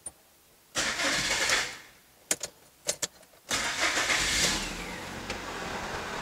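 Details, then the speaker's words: Citroën after fuel pump work and fuel filter replacement, key on first to pressurize the system: short whirring crank and clicks, engine catches at once into a steady even idle; normal start. "vou dar partida no carro aqui para personalizar o sistema eu vou ligar a chave primeiro o pressurizador sistema por dar partida no"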